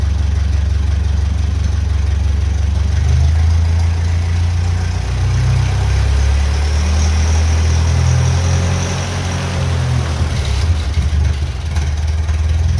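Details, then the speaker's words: 1957 Ferguson FE35 TVO tractor with Zenith 28G carb: engine runs unevenly, beat dipping as revs pass off idle; stumble in idle-to-main-jet transition, carb is a petrol version fitted with a 70 slow-running jet instead of needed 80. "they can make one and I'll fit that cuz you can hear there is a bit of a change coming from the idle to the main jet."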